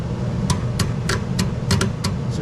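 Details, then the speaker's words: American Standard/Trane heat pump package unit after a blower relay swap: sharp clicks over a low hum as the heat strip contactor pulls in cleanly when the relay is energized. The relay and its common wiring are working. "hear the contact are closing there so I know my contactor will close when that relay is energized"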